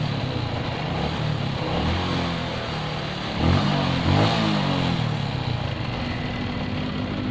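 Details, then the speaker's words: Suzuki Shogun 125 with shorted CDI, running with the battery removed: small single revs and sags back with a ragged, hunting beat, idle not steady enough. "Coba kita tes lagi nah ini tanpa aki jadi nyala teman-teman cuman lansamnya kurang"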